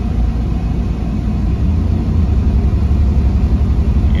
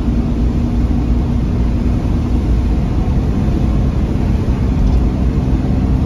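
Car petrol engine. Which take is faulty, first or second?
first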